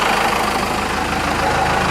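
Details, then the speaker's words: 4BT Cummins diesel after an idle adjustment with the fuel pin maxed out: a low, steady idle clatter with a slight uneven shake and vibration, so the idle is still a little rough. "but it sounds like a cummins yeah a little shaking here little vibrating oh no"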